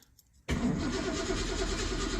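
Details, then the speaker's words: 1982 Ford Mustang GT carburetor, cold, electric choke element heating, carb emptied: after cranking it catches roughly and nearly stalls, not starting on the fast idle cam; hard starting from a choke issue. "come on H did not start on the fast idle Cam and is about to stall out"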